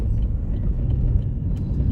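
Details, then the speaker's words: Car test drive after replacing a badly worn rear wheel bearing: only low, even tyre and road rumble with no droning or hum rising with speed. Normal road noise, bearing now healthy. "Sounds much nicer. No more hob droney noise. That bearing was pretty knackered. Nice and quiet. Just the normal tire road noise down."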